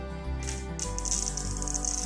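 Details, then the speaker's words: Cheap Harbor Freight glass cutter scoring glass on a table line, cutter held straight up with tip pointed away: steady high fine hissing crackle the whole pass, the sound of a good score. "You hear that sound? That's how you know you get a good score."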